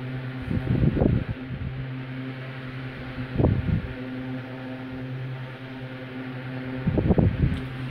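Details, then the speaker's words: Westinghouse LivelyAire 10LA4 10-inch single-speed oscillating desk fan, circa 1960, plastic blades: steady low motor hum with a whoosh swelling every few seconds as the head makes its rather fast oscillation sweep; oscillator works, running normally. "it has a rather fast oscillation sweep but i don't mind"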